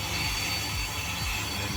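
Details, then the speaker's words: Audi A1 1.4 TFSI rear left brake disc being skimmed to remove worn lips, on the final cut. A steady cutting-tool hiss pulses about twice a second with each disc rotation. The discs end up cut straight and smooth; this is a normal skimming cut. "is now doing the the final cut to clear it up and make it smooth. And the discs have been cut and they straight."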